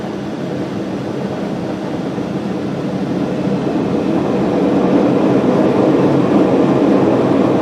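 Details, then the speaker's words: Lotus pottery wheel head with a rough, rumbling growl that grows louder as it speeds up and fades at low speed, indicating a worn head bearing. "well that's what I mean by noisy bearing now if you hear that noise I don't think that's a very good sign"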